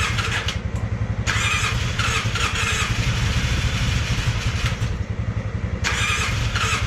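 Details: Polaris Sportsman 600 with almost no compression: fast, uneven low chuffing three to four beats a second with rasping bursts, weak cranking; very low compression.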